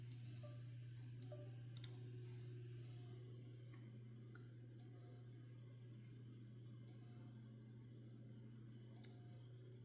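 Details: 12 TB hard drive not working: sharp sparse clicks every second or two over a faint steady hum; a failing drive that keeps clicking and won't come up.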